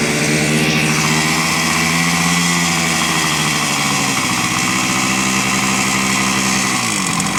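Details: 1970 Suzuki T350 Rebel two-stroke twin, long stored, just started on choke after carb cleaner: lumpy burbling idle, beat wandering and pitch sagging near stalling; owner unsure the left cylinder is running.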